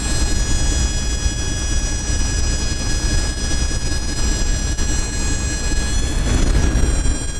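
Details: 1996 Dodge Dakota with a steady high-pitched squeal over the running engine's low rumble; the owner cannot locate the source.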